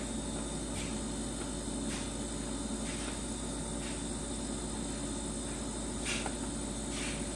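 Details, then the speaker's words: LG refrigerator model LFXS24663S, two years old, after fixing loud buzzing from resonance of the plastic condenser drip pan and fan shroud with shims: compressor runs with quiet even hum and soft hiss, no rattle or buzz, no resonance when pushing the shroud. "able to find any resonance I can push on the shroud I don't hear resonance"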